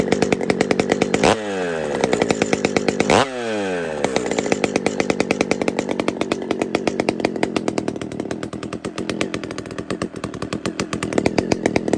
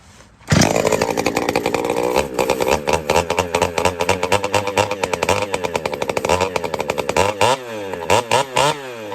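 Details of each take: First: Pioneer P-41 chainsaw with big-bore kit, running: crisp two-stroke buzz with two clean blips to high revs, then a steady, even idle without misfire; normal running. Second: Pioneer P-41 chainsaw with big-bore kit, newly running after retiming: fires and revs in uneven blips with a slightly blubbery, burbling note between them; mixture set a touch rich.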